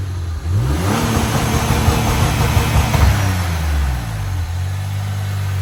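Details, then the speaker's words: Saab Turbo X, 2.8 V6 B284, 6-speed manual, hood open at startup: engine revs from idle and settles, with a low droning hum riding along. The AC is suspected as the source, unconfirmed. "real quick I want to show you a noise it's making we think it's AC condenser um I'll open the hood and do a startup of it so you can actually hear it"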